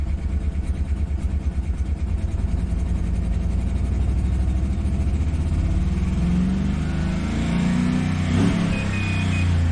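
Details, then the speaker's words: 2013 Chevy Tahoe police vehicle, V8 with cylinder deactivation, owner suspected a bad DOD lifter; codes show multiple cylinder misfire, throttle position sensor, cylinder 1 and 4 deactivation; good oil pressure; lumpy, uneven idle staying ragged as revs climb; engine misfire. "multiple cylinder misfire thr position Escape let's erase all those codes and let's check them again see if they're still there"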